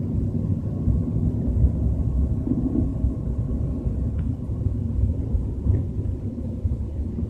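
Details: BMW 320i with a deep, constant low rumble under road noise while cruising at 30–40 km/h, no clear rhythm; cause suspected, not confirmed.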